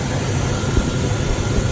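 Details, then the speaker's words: 2003 Chevrolet Silverado at Copart, hood open after it fired right up: nice and quiet, low smooth idle with an even rumble and no knock or tick; a brief knock at startup faded quickly, likely from sitting long. Normal idle. "Let's pop the hood here and listen to it. Alright guys, so nice and quiet engine."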